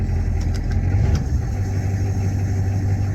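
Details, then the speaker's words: 1985 Ford F-350 with 6.9 IDI diesel, high idle solenoid wired to manual toggle switch and switched on: steady deep diesel clatter held at a raised even idle without hunting; high idle engaged. "and right now it doesn't you know I switch it now it's got power and you can hear that it's high idling"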